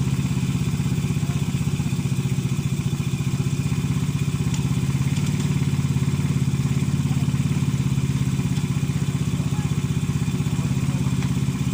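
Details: Motorcycle engine that starts hard because a sunken valve leaks compression: low, steady thumping idle with a slightly uneven beat and no clean snap.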